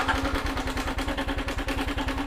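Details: 2021 Honda Wave at about 12,000 km, idling: a quick, even metallic clatter on every firing pulse, a slack cam chain; owner thinks it is not the cam bearing this time.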